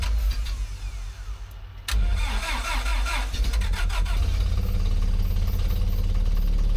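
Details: Terex carry-deck crane bought as a non-runner, cranked on ether: long rough cranking that briefly catches and sputters unevenly but never settles into a steady idle; cranking no-start.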